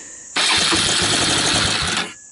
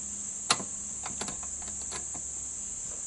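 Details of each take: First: 1999 Suzuki Quad Runner LT 160 ATV with aftermarket 12V CDI and possibly swapped carburetor: catches and fires hard for about 1.5 seconds on starting fluid, then dies; carburetor throttle and choke found misconnected. Fuel delivery fault. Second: 1999 Suzuki Quad Runner LT160 on a cold start with the choke on, stator AC output disconnected. Quiet cranking for several seconds, then the single cylinder catches and settles into a steady, even run with no real smoke. It starts cleanly.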